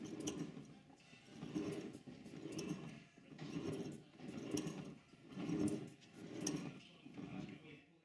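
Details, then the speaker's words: Model steam locomotive with reassembled Walschaerts valve gear (one new link pin), freshly oiled, pushed along a track section on the bench: soft even chuffs about once a second over workshop noise; breathing properly. "you can still hear that the engine is now making steam locomotive noises it seems to be breathing very nicely"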